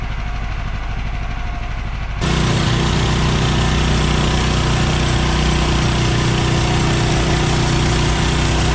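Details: Bandsaw mill cutting 3/4 x 6 inch boards for board-and-batten siding, Pine-Sol/water blade lubricant toned down after too much made the blade slip off the belt. Engine idles low and even, then a loud steady roar with level hissing cut; normal.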